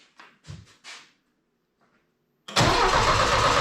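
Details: Saab Sonett cranking after three different distributors were tried: a few knocks, then a steady, even churn and it never fires. The coil sparks and the points work, but spark goes into the distributor and not out; the rotor is bad.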